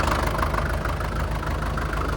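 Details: 1947 International Harvester TD-9 gas-start diesel crawler, first start in years after magneto rebuild; American Bosch injection, clean stack; steady low idle with heavy even knock each firing, no misses, normal fuel knock, running good.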